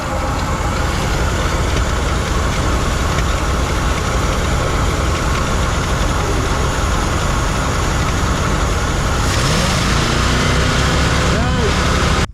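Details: 1970 Chevy C-40 mechanics truck, sat 15+ years, revived: deep steady idle with even beat, no misses or knocks; engine runs well, but found not charging.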